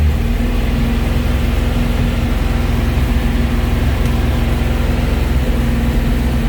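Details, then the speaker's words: 1971 Alfa Romeo 1750 GTV, manual, cold engine: an even, fast low rumble with a steady hum and no misses or knocks. It runs relatively smoothly with the idle a bit high from the cold; it may need adjusting. "idle was a little bit high because the engine was cold but uh it it will need to be maybe adjusted"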